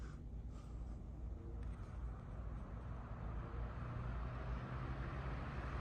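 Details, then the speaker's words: Vintage Emerson 77646 desk fan on low speed, motor serviced and blades repainted black, used regularly. A quiet, even low hum with no rattle, scrape or wobble; runs really nice. Normal, healthy running. "So let's go ahead and turn it on. It runs really nice. I really like this fan."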